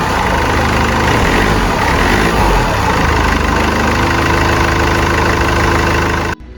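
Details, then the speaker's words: Mercedes C220 CDI W203 after a repair for fault code 2359 with power loss and black smoke: even diesel clatter at a steady idle, about three to four pulses a second, no hunting or misfire; starts well, no fault codes afterward. "It's good to start, it starts, that's a good sign and you can hear it well,"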